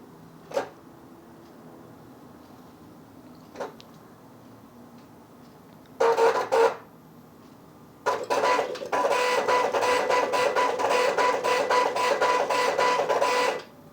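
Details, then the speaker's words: Working AN/UGC-74B military terminal, same dot-matrix printer type as faulty unit, at power-up: a few clicks, then head buzzes in short bursts with rapid rasping line-by-line passes; printing normally. "All right. So, you can see how the printer is supposed to operate."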